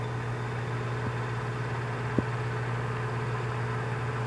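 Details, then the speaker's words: Brastemp 84L built-in electric oven after a year of use, convection mode, heard with the door open: low steady hum and soft even whir with one faint click; fan running normally. "Tá vendo? É um barulhinho bem baixinho, né? Mas faz um barulhinho que é normal."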